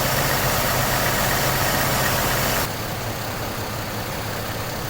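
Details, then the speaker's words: GM Trailblazer 4.2L Vortec I6 after replacing camshaft position actuator (VVT) solenoid for code P0014; engine now starts better and idles steadily and evenly with smooth low hum, no stumble or misfire: normal idle after repair. "As you can hear, it's now idling a lot better."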